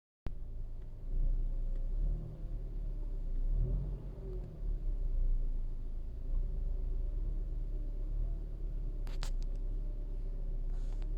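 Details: 2013 Toyota RAV4 with engine running: low rumble with a faint, steady whining tone over it; owner says alternator, pulleys and pump are OK, cause of the whine unknown.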